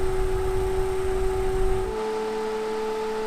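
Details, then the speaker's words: 1990s Super Jet Stream turbo desk fan, before restoration, running on high near full speed: steady hum with fixed mid-pitched tone and faint dry scraping rasp; the bearings are dry. "the bearings are really dry you can hear the scraping or a dry bearing sound so I won't run it for too long"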